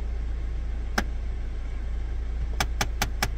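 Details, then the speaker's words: 2016 Jeep Compass, engine idling, A/C on with recirculation selected: sharp plastic clicks in the vent ducts, one alone then five quick ones about a fifth of a second apart; faulty A/C recirculation door actuator, to be replaced. "Muy bien pues ese sonido es precisamente el actuador del aire acondicionado vamos a proceder a cambiarlo"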